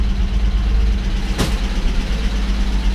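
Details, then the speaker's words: 1961 Ford Falcon, 144 straight-six, three-on-the-tree manual, abandoned 20+ years, idling warm right after exhaust manifold gasket replacement: light fast valve-train clatter over a low hum. Exhaust leak and blue smoke are gone, oil pressure is good, and the owner may recheck the valve lash. "it's a little clattery right now I might check the valves again mind you it just sounds like an old to me it sounds like a inline six which is what it's supposed to sound like"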